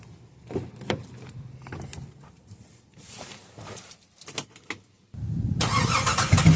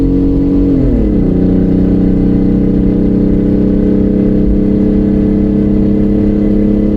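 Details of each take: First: 2005-2010 WK1 Jeep Grand Cherokee, abused rig with engine problems, just back from Midas with a brand new exhaust; starts and settles into a smooth, solid note with no rasp, ticking or leak hiss; normal exhaust. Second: Straight-piped 2005-2010 WK1 Jeep Grand Cherokee V6 with no mufflers, cruising on the highway at about 70 mph and 3500 rpm: a loud, raspy, droning exhaust holds one steady pitch after a brief drop in revs.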